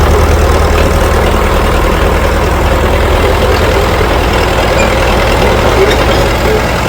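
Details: International TD-6 crawler, revived after 11 years sitting rusted stuck, switched from gas start to diesel after the #4 cylinder misfire fix. Low, steady diesel clatter at idle, evenly paced with no skips or stumbles: idling cleanly.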